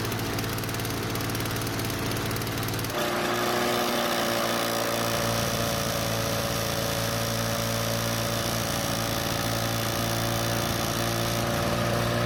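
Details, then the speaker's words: Two-stroke self-propelled Lawnboy mower starts and runs with a steady, fast, high-pitched note that never drops; the engine speed is stuck too high and can't be changed, which forces the operator to walk faster; cause not yet confirmed. "In today's video, we look at this Lawnboy mower, and the problem is that it starts and runs, but the owner is complaining that the engine speed is too high and they can't change it."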